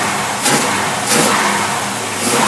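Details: Holley 4780 double pumper carburetor tested on a running engine, mixtures preset to 12:1; three crisp throttle blips rising and falling cleanly with no bog or stumble, carburetor responding properly.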